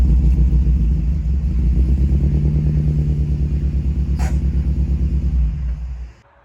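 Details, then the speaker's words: Toyota Echo 1.5 with 391,000 miles after a mis-shift over-rev: lumpy uneven idle with deep chuffing pulse about three times a second, bad misfire (cylinder 1), high fuel use (half tank in 30 miles). "So like you heard, we got a Yota down. It's got a pretty bad miss."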